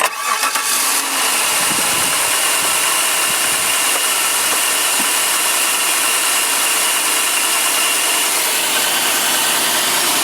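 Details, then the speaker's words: 2001 Cadillac Northstar that intermittently cranks/clicks but won't start: after holding the start relay while barely tapping the starter, a short crank catches at once and settles into steady idle, showing the starter stuck on a dead spot. "just like that barely even tap the starter barely even tapped it you saw we hit it with that and that's all it took to get it to fire right up"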